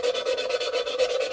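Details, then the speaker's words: Lapping valves on a GenV LT4 cylinder head (2017 Corvette Z07 build); rhythmic back-and-forth gritty rasping about three strokes a second, tone quietening as compound smooths surfaces: valve lapping. "if you listen you'll hear the grinding and as the as the compound smooths out the surfaces you'll hear it get quieter you hear the tone change"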